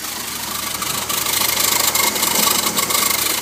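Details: BMW E46 ZHP at idle with a funny engine noise, recorded from the engine bay, under the car and back to the exhaust: dry rasping tick about three per second above quiet engine hum; rasping ticking noise, source unknown.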